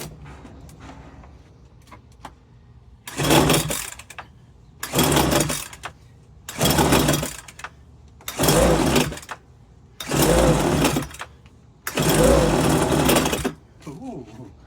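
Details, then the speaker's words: Homelite UT08572 backpack leaf blower, 30 cc two-stroke; six hard recoil pulls with only a brief sputter, cranking with no start, owner suspects the fuel. "It definitely ran for a little bit. As for why it's not continually running, I don't know yet."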